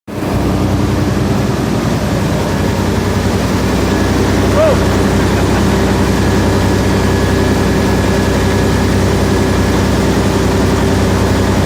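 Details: Caterpillar 3408 heavy diesel idling with a deep drone and an uneven, stumbling beat from an injector misfire.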